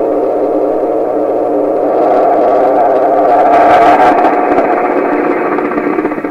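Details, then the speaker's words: 1928 RCA Victor Model 28V radio during final alignment: a steady whistle over hiss, regenerative feedback oscillation that shifts and goes away as the feedback capacitor is opened to reduce feedback. "And I'll open the capacitor and reduce the amount of feedback. We'll see if that goes away."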